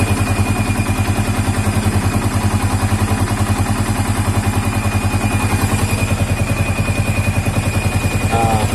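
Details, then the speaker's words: Old Yamaha Vixion 4-stroke, hot after 10–15 minutes at low idle: thin, steady high whistle over a lumpy idle, loudest at the radiator water pump, gone at 2000–3000 rpm. Water pump seal suspected; pump to be dismantled. "terluarnya tadi ini posisi mesin udah panas Kelihatannya sih di sini ya ini di bagian pompa air pompa air radiator ya Waterboom"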